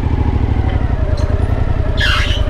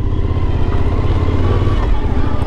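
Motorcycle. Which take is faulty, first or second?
first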